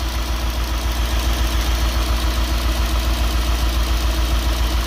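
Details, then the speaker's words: Nissan D40 Navara with swapped-in VK45DE V8, first start after engine change, low slow idle with steady lumpy stumble; one cylinder dead, owner suspects injector, found to be a dirty contact. "be the injector or something else i need to look into but that's a reasonable result i'll check that out figure out what's going on probably the injector just needs um a little cycle"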